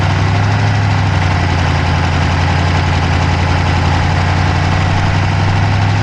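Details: Dodge Charger Hemi V8 at idle, camera (Insta360 Go3) in the passenger-side engine bay: steady idle with a fast, light ticking over the low hum; cause not yet pinned down.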